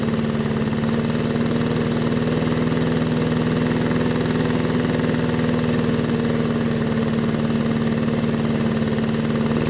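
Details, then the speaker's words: Briggs & Stratton lawn mower after fitting the original carburetor's parts into the Amazon carburetor: smooth, even putter at constant speed with no surging or misses; normal running after repair. "Okay. And now to put the carburetor back on the engine. We'll just lube up the face of everything. All right, let's wheel it outside and see if it starts."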